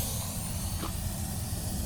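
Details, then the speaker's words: 1948 Gillig bus, running hot then idling on a hot day: steady airy hiss over a low idle rumble heard near the radiator; owner suspects a leak, possibly the reserve tank, but sees none; hissing near radiator. "Oh yeah, I can already hear the leaks. Where is it coming from? So yeah, I mean, I can hear this leaking,"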